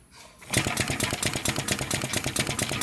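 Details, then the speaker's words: Tapflo LEAP low-energy diaphragm pump: quick, even chuffing exhaust pulses at roughly seven per second, starting immediately once the air is switched over. Normal running. "You can hear and see immediately the difference."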